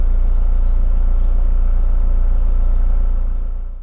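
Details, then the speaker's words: VW Lupo GTI, engine running, heard at the rear tailpipe: deep even low boom pulsing about three times a second, the normal exhaust boominess; the same noise heard from the front would indicate a problem. "But if you go to the back, you can hear what the boominess sounds like."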